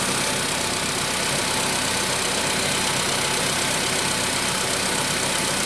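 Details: Engine knock on a VW Polo Sedan 1000 km after piston replacement: steady idle with a fast, light tapping about four per second over the engine; cause not pinned down.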